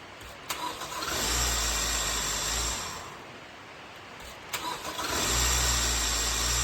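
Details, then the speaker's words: 2011 Hyundai Sonata 2.4 GDI after a starter replacement, started and stopped three times to check the new starter: short cranks that catch quickly into a steady, even idle, then shut off. Normal, clean starting. "crank that was me starting and stopping it three times just to check it cuz I'm checking the starter with it running"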